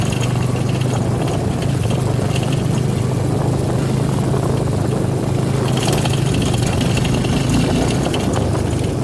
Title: V-Strom 250 SX - Rattling noise